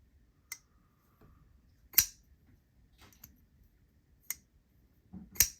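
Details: Schenk Knives Ally after its bearings were swapped to Skiff bearings: crisp, clean snaps as the blade flips open and locks, with no drag, though the owner notes a faint sandy sound. Smooth flipping action.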